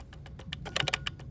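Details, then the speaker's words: Alfa Romeo 147 GTA, 37k-mile Busso V6, cut out while driving, immobilizer faults: key on, engine off, rapid uneven chatter of sharp clicks from relays and throttle body; suspected ECU failure, later confirmed and ECU sent for repair. "And then there is insane amount of clicking from the relays and throttle body."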